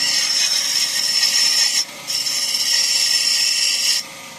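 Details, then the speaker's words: Chevrolet car engine bay at the pulleys; harsh, high-pitched rasping hiss in two long bursts from play in the A/C compressor clutch pulley, not the tensioner or idler bearing as first suspected. "A própria polia daqui do ar condicionado, ela criou uma folga e o cliente tava se queixando de um barulho."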